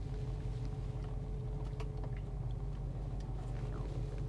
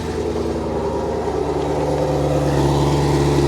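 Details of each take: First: Camaro SS V8 at idle, service engine soon light on: deep uneven lope with occasional dropped beats; definite misfire. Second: Camaro SS V8 at salvage auction, coolant reservoir empty, possibly valved exhaust: deep steady V8 burble with slight rise in speed, even firing, no ticks or knocks; healthy exhaust note.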